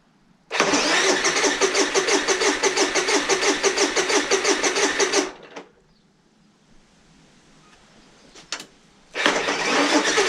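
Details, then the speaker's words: Honda EU30iS (EU3000iS) generator, GX200 engine just rebuilt with a new piston, piston rings, crankcase gasket and reset timing, with oil in the cylinder: steady cranking at about three turns a second but it never fires; cranks, no start. "hmm as expected doesn't start right I had a thought about this generator not starting"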